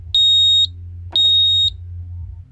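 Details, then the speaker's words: Burglar alarm panel keypad sounding its fire alarm: high shrill beeps about half a second long repeating once a second, pulsing like a house smoke detector but quieter. "so the firearm is a pulsing and it actually sounds a lot like a house smoke detector except it's a lot quieter"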